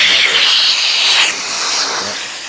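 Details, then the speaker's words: Bissell Powerforce Helix Turbo Rewind 1797 vacuum after clearing a sticky chunk and paper from the path: strong, steady rush of air at the intake with no whistling or choking; nearly full, normal suction airflow. "so yep we have uh we have struck nearly full air flow and I use that term loosely so yeah we're we're in good shape"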